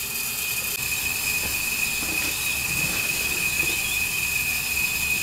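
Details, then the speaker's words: Wheel Horse B165 tractor engine, neglected for decades, leak-down test at top dead centre, engine stopped: steady hard hiss, lots of air out the breather, slight at intake, none at exhaust; moderate leakage, worn piston rings. "Right, so we have got moderate cylinder leakage, but you can hear it. Sounds like quite a lot of air escaping."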